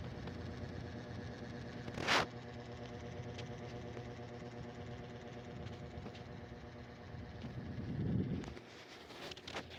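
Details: 2023 Lasko Wind Storm pedestal fan: steady low electrical buzz under the airflow whoosh, with a couple of handling bumps; source unclear.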